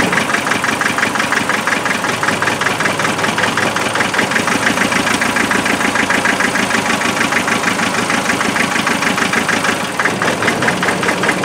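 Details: Land Rover 2.5 NA diesel, thermal camera showed the rear cold: rough, lumpy idle clatter with a stumbling beat, missing on a cylinder or two; misfire at idle, injectors later checked for spray pattern.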